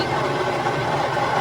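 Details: Stone grinder milling home-grown dried dent corn into grits, stones tightened for a finer pass: even steady grinding hum with no knocks or surges; mill working normally.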